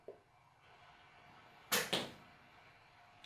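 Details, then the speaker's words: Wega commercial espresso machine with new 2940W heater element: a few sharp clicks in a quiet room as the pressurestat cuts the heater off at about 1.2 bar on a gauge suspected inaccurate, and the element's hum stops. "there it's just clicked that's the heating element clicking off and you can hear it actually start to switch off like your kettle wood you can hear it when Shh and then when it clicks off it that noise stops and that's the heating element stopping"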